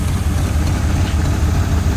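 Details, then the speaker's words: 1981 Ford Mustang 5.0 V8 revived after sitting, no cooling fan fitted, timing adjustment limited by a heater hose: steady, even low idle with no knocks, misses or ticks; idle perhaps a little high, engine sounds healthy. "I'm happy engine sounds really good very healthy"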